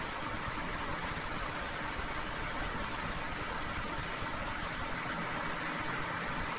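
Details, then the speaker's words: Komatsu PC200-6 excavator diesel with black smoke and low power: slightly uneven, rough running beat; number 3 injector found leaking, causing misfire. "Nah di pistol nomor 3 nih suaranya curang banget sama dengan sedikit kasar nangis karena nyatanya bocor teman-temannya"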